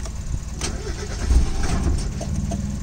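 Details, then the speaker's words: Mazda Miata, possibly rewired, after jump start and swapping connections into presumed correct order: starter churns in steady low rumble with uneven catches that never pick up; cranks but won't start, cause unconfirmed. "because now that's in the correct order it's not starting"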